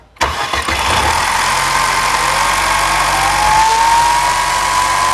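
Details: Mercedes-Benz M271 CGI, first cold start after about 15 hours parked: slow to start, catching with a brief burst of chain rattle, then a busy idle; caused by damaged camshaft adjuster (variator) gears.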